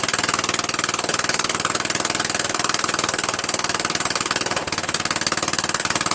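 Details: Murray Widebody LT 14.5 42" lawn tractor running after its first start on added gas: a harsh, raspy crackle pulsing about four times a second, sharp and loud. The exhaust is open because the muffler is missing.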